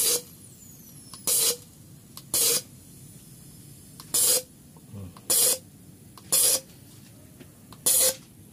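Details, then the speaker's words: Nissan MR18 engine with misfire, number one petrol injector tested after cleaning: seven short, sharp hissing spray bursts at uneven intervals; valve sticks and intermittently misses, to be cleaned again or replaced. "Pero try natin linisin. Baka madali. Kasi nag-i-stack up yung barbula eh. Nagsasarado, lumimintis yan."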